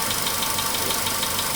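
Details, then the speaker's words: VW Polo Sedan, 99,329 km, idle after about 5–6 minutes from cold start: lighter regular tapping about six per second, barely audible but still there, idle shaking; knock cause unknown. "Звук все равно еще слышен. Такой еле-еле слышный стук. Тук-тук-тук-тук-тук."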